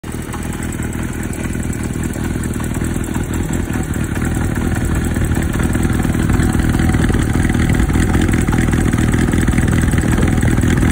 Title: Kawasaki Zephyr 550 1990 project-auto cam chain tensioner is all the way forward, need new camchain